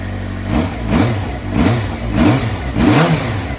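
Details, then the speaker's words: 2007 Suzuki GSX-R600 after replacing the CDI/ECU, which had been keeping the bike from starting at all: the engine now runs cleanly and takes five quick throttle blips, returning to idle each time; normal revving, though the gauges still do not come on. "so well like we got it to start replacing the ECU fire right up"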